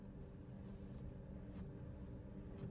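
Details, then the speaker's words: 2017 Toyota Agya TRD Sportivo automatic, 14,200 km, steering rack test: only soft steady road and engine hum while the wheel is worked, no clunks or knocks at all; steering rack sounds tight. "Tidak ada bunyi sama sekali."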